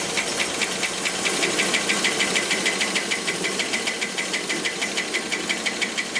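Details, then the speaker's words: Rolls-Royce Silver Cloud III with SU carburettors, being diagnosed for a fail-to-proceed problem, running after a while: a steady light tapping of about three per second over the petrol engine that speeds up with throttle; it is judged still a little too rich. "Hear that tapping? See how it speeds up when I open it up? So it's still a little too rich."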